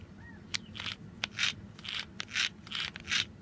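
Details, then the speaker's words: New replacement power door lock actuator on a Ford Excursion, bench-tested out of the door: crisp, even gear whirs several times a second; normal operation, unlike the broken old actuator that barely moved and made no sound. "could hear the gears moving that's what you want to hear"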